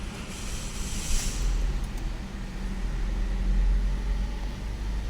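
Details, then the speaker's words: Car that won't start, negative battery terminal found loose and tightened: low, labored cranking at three to four beats a second that never catches. The battery is likely discharged with no voltage left; slow cranking from a dead battery. "Nah rekan-rekan, untuk kondisi seperti ini kemungkinan habis strum di akinya ya rekan-rekan."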